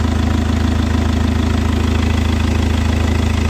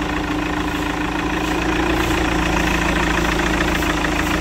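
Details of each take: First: Chevrolet Captiva diesel that hit a 2000 rpm limit with engine and SVS lights and fuel pressure code P089, left idling 5–10 minutes after cleaning; even steady diesel clatter growing smoother and more regular; normal idle. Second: Chevrolet Captiva diesel at cold morning start: diesel clatter with idle rpm swelling and sagging, smoothing after about 5 minutes; unstable cold idle, suspected fuel-system fault (DTC P0089 fuel pressure), also engine light, 2000 rpm limit, low power, smoke.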